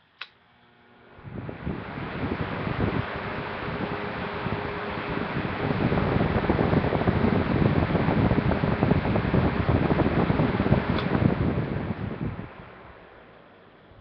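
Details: Vintage 1930s Eskimo circulator fan, one-foot, cracked taped plug: spins up to a steady, even whooshing rush with soft constant hum, no rattles or scraping, then winds down; normal running.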